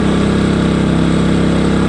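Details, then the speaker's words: New Engel 2500W inverter generator, first-ever run, cold start on choke then flicked to on to warm up: steady, even mid-pitched drone, no misses or hunting; warming up cleanly and healthy. "so as soon as you hear it kicking over and if it starts struggling that you know it's started just splick it from choke to one"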